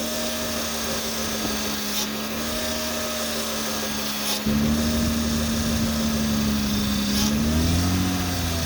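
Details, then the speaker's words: 2003–09 Honda/Acura V6 power steering pump whining from air drawn past a shrunken O-ring on the pump inlet tube, worse when cold. A steady droning whine over the idle that rises in pitch as the wheel is turned. Fix: replace the O-ring and refill with genuine fluid. "the reason why it winds is this is the intake to pour our steering system and that O-ring pulls air so when it gets colder and it shrinks and everything you get more air than when it's warm"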